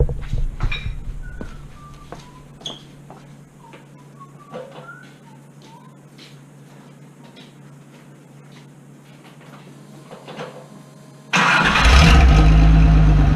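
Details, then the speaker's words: Datsun rally project after oil flush, exhaust with muffler removed so it exits beside the differential: after quiet clatter the engine fires into a loud, raw, deep exhaust roar. "So, now we crank her up and see how bad she sounds."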